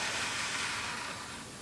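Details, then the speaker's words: HP OmniBook retro laptop powered up: steady airy whoosh of the cooling fan with a coarse, uneven edge fading toward the end; fan sounds rough, cause unclear. "that sounds a bit rough that fan actually they both sound a bit rough"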